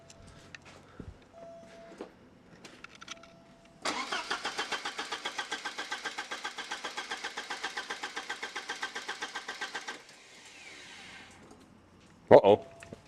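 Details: Porsche 944 after full fuel system replacement, fuel pump confirmed running: about six seconds of steady, even cranking pulses that never fire; no spark traced to bad crank sensors.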